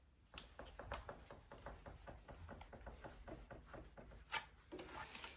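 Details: New Transition Spire Carbon GX mountain bike, front fork strapped compressed: pushing down on the frame by hand gives sharp irregular knocks, two or three a second, isolated to the rear shock or lower shock linkage; suspected, not confirmed.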